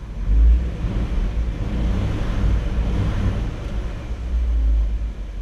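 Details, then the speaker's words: 1959 Chevy Bel Air 348 V8 idling after a hot start following 20 minutes off, after cleaning Rochester 4-Jet carb air bleeds that caused rough idle and flooding; low rumbling idle holds steady without hunting, normal. "And that's the way it should start. So that corrected the problem, cleaning the air bleeds."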